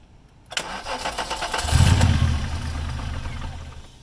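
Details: VR6 engine, jacked up with a fuel reach test: the starter cranks for a couple of seconds but it never catches; codes show a crank position sensor fault plus unidentified throttle body codes. Crank, no start.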